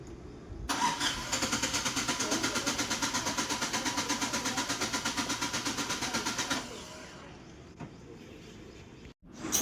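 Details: 2019 United Bravo with long cranking but no start: the starter churns steadily about three times a second for six seconds and never catches; the cause is a faulty ECM.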